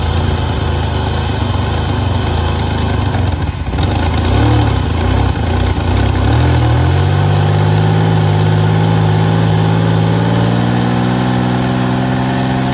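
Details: 1988 Pontiac Firebird, GM 2.8 L V6, 230,000 miles, not started in about 13 years: engine catches and settles into a steady even low idle with smooth hum and no knocking; runs healthy.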